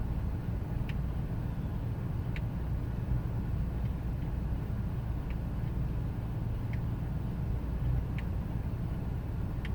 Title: 2000 ford expedition 5.4 rough idle